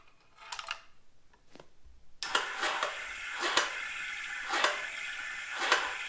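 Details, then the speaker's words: 1982 Honda Nighthawk CB650 motorcycle: starter buzzes freely with a light clatter about once a second, no engine compressions; one-way starter clutch on crankshaft slipping. "if you listen to the starter in this thing it seems like most of the time that it's spinning it's not actually turning the engine it's just sitting there spinning"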